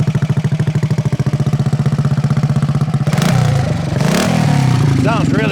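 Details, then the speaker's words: 1968 Harley-Davidson (Aermacchi) 250 Sprint single, complete frame-off mechanical restoration, after stone-cold start: crisp, even thump at idle, then clean throttle blips rising and falling smoothly; runs beautifully, normal running. "Sounds freaking awesome. Baby, this thing runs beautiful. Looks the part too."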